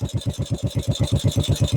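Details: 1950 Norton Big 4 single with sidecar, warming after cold start: crisp even thump about eight beats a second, revs settling slightly lower once cold-start plug lifting the carburettor air slide is released; normal idle.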